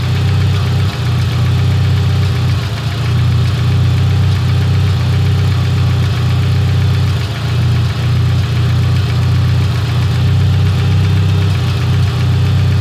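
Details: Engine at startup the day after a tune; it had stalled twice and now idles rough with a constant clattery knock and occasional stumbles, seemingly from the head; source unconfirmed.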